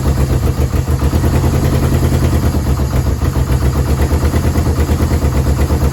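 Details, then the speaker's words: Yamaha VMAX 1200, sat about 5 years: lumpy, throbbing low idle with an uneven beat, no smoke, keeps going only on choke and dies with it off; owner suspects clogged carburetor jets. "Running on choke, so I think the carburetor needs to be clean. It's running. No smoke. As soon as I put the choke off, he dies."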